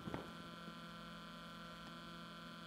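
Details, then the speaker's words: Alphacool Eisbaer 280 AIO pump with the microphone touching it and no air bubbles visible: a faint, constant hum with a steady pitch and no rattle or gurgle. The pump runs quietly and healthy. "my microphone closer I can hear a light hum and with the microphone in contact with the moat with the pump"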